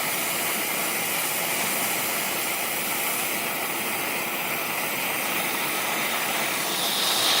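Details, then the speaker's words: Two-stroke expansion chamber pressurized with air and heated to blow out dents: a steady, sharp hiss as air escapes through a hole that opened at the pipe seam. The hole needs welding. "Oh, I got a hole. See it? A hole in the pipe. That needs a weld now. That stinks."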